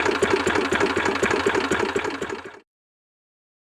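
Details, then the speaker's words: Two-cylinder racing lawnmower engine for a 50 mph lawn tractor build idling: lumpy, uneven popping about four per second, second cylinder catching only occasionally; misfire, owner suspects loose spark plug wires or a bad coil. "What? How is it running like that? I think it's on one cylinder, and that right there is probably a catch on the second cylinder."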